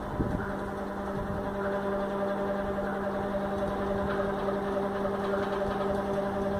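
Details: USHA Chota Bheem fan running with a steady low hum plus faint irregular ticks every so often. It is noisier than it should be, cause unclear.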